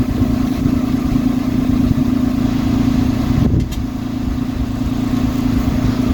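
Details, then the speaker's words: Citroen C1 small petrol engine idling with new exhaust back box fitted, no clamps yet: uneven puffing tick over the exhaust note from a leak at the unclamped pipe joint the owner wanted to weld. "yeah as I thought we've got a bit of a leak around that join where I said I wanted to weld it so I think I may do something with that"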